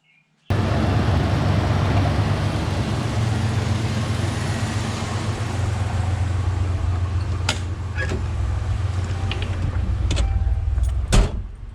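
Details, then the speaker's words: Ford Bronco II 2.9 V6 with intermittent stumbling idle swinging from around 400 rpm, owner suspects failing fuel pump: deep uneven idle drone around 850 rpm with a hiccup and sharp clicks; idling rough, cause unconfirmed. "but it's idling around 850 maybe a little bit High U which is where the manual says it should be um that weird little hiccup it just did"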